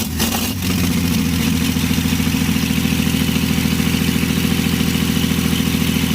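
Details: 1952 Chevy engine restarted after refitting the fuel pump ground wire, which had caused the earlier stall, running on gas with a little oil mixed in; steady, even idle around 3.5 beats per second with no skips or knocks.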